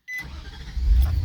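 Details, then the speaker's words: 2007 Nissan Titan SE with hard-start complaint and immobilizer light, started with the genuine Nissan key: short chime, brief crank, catches at once into steady low rumble; normal start, aftermarket key was the cause. "it starts every single time. And again, that aftermarket key, I just had it running with that key, and then all of a sudden it stopped running, and that was the problem."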